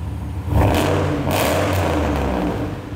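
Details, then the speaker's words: LS V8-swapped Mercedes 124 chassis after the belt fix: a deep, even V8 burble with two clean throttle blips, no squeal, knocks or ticks, a healthy engine. "Oh, beautiful. No noise whatsoever. We are good."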